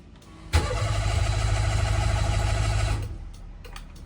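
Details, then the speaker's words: Mira that was just rear-ended and driven home for 30 minutes, about to be moved a few feet. The starter cranks steadily for about 2.5 s with no catch. The usual loud fuel-pump priming sound is missing. The owner suspects a dead fuel pump. "I am literally outside my house and I just wanted to move it a couple feet and my fuel pump is dead. So usually here it was a really loud priming sound. It's no longer doing that, unfortunately."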